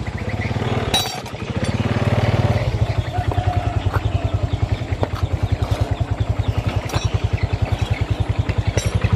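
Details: Honda Revo FI motorcycle after clutch lining work, previously too weak to climb a plank: even, steady thump pulling cleanly up the step without slipping or straining and without high throttle; clutch now taking up properly.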